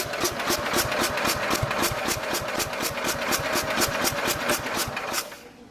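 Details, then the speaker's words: 1969 Bolens 850 tractor, Wisconsin S8D engine, unused 3+ years after losing power: steady cranking about four pulses a second, never catches right after running warm; hard warm restart, something still wrong. "See, it's having a hell of a time starting again. It shouldn't have that much of a problem starting after it just ran."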